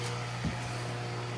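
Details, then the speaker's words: Delmonico FMS-749 AM-FM tabletop receiver powered up for FM alignment, tuned to the end of the dial: a steady low electrical hum with a faint higher tone from the shop lights, also visible on the scope trace. Fluorescent light buzz. "i don't know if you hear that buzz or not look at that trace that is these stupid lights"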